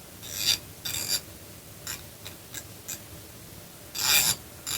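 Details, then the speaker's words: Ratchet wrench after disassembly and repair: crisp, even bursts of fine ratcheting clicks with each back-and-forth stroke, no slipping or skipping; the ratchet engages cleanly and works properly. "On entend bien le cliquetis. Donc là, il est impeccable."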